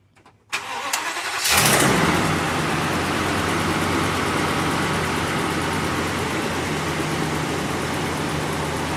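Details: 2014 Tiffin 36LA motorhome diesel, just after an oil and filter change, started to circulate oil and recheck the level: brief crank, catches within a second, then a steady, even idle with no knocks or misses.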